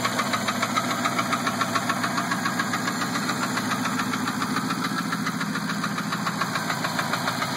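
A sharp, steady tick about three or four times a second rides over the idling engine; it's a ticking fault, cause unknown.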